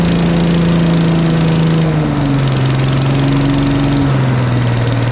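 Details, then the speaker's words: Agri-Fab Mow & Vac leaf vacuum Briggs & Stratton engine, sat about a year; after valve adjustment raised compression to ~25 psi: steady drone settling to even governed speed, no misfire or knock; runs smooth, normal running. "well that runs really nice I'm kind of shocked"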